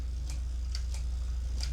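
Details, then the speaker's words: Mamiya 645 medium-format camera film advance crank after the 15th frame: the crank spins freely with light, irregular clicking over a low hum; the spool has ended and the film is fully wound, ready to unload. "it's clicking through because the film the spool ended so at that point you know that your film is all rolled up and ready to take out"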